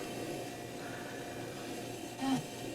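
A low, steady compressor hum runs evenly with no knocking or rattling, and one brief soft click midway; the fridge compressor is running normally.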